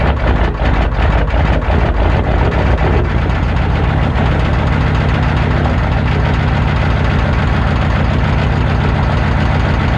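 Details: Cold three-cylinder naturally aspirated diesel, possibly a 201, with offset reduction starter, clutch in: loud, even clatter at idle with a heavy low rumble, smoothing slightly after a few seconds; normal cold-start knock.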